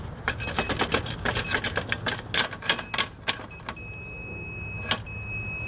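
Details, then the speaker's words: Electric range front top burner not heating, tested with an ohm meter continuity tone: crackling clicks as the element is wiggled, tone cutting in and out; burnt receptacle prongs losing contact, switch good. "receptacles burn up prongs ain't making contact booah got a good switch but we ain't got a good receptacle"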